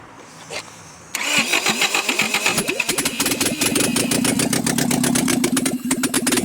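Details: Nissan S12 Silvia turbo engine after reassembly, cam at TDC, firing order 1-3-4-2: starter cranks with ragged, uneven firing attempts that never catch; owner suspects ignition timing or poorly seated injector plugs.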